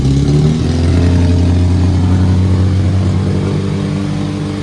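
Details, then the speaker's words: Old Austin Mini Cooper after replacing the distributor wire and adjusting distributor and fuel: a brief rev, then a smooth, steady idle with no misses or knocks; it ran badly before the tuning. "sounds good sounds good when we first started it was sounded like trash bro a little bit of tuning a little bit of adjusting"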